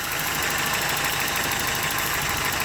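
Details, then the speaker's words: 1993 Toyota pickup 22R engine with a high or surging idle complaint, here at a low, quiet, steady idle with no hunting while diagnosing fast idle valve and TPS; idle normal. "So we can see right now, you know, it's very low idle, quiet the engine."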